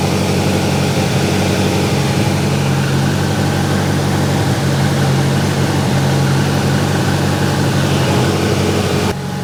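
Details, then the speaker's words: Grinnall Scorpion kit car, newly fitted radiator cooling fan just kicked in at idle during a smoke-flow test at the front: steady even fan whoosh over smooth regular idle, no rattles or scraping; fan running normally. "okay the fun is now kicked in let's see what this small flow of smoke looks like"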